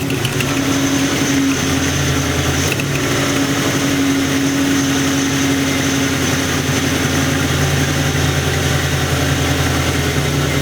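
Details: Internally stock LT1 V8 with supposedly about 70-80k miles, recently installed, with Hooker long-tube headers, idling and revving. A sharp ticking on the exhaust note, first thought to be knock, was an exhaust leak at the driver's side back header port, tightened and fixed.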